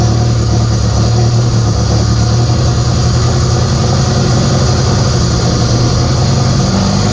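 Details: K24a2-swapped Acura Integra first start after injector issue fixed and reinstalled, open downpipe, radiator off: loud steady deep idle, even pulses, no misses or ticking; normal idle.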